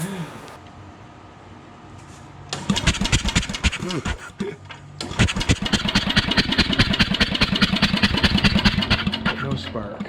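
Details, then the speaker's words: 1977 MTD 990 16 hp Dayton-badged riding tractor with a no-start problem, after setting a 12 thou gap: starter cranks steadily at about 2.5 turns a second with no firing; cause not yet found. "All right. If it had spark, it would have lit a little bit there. So, no spark."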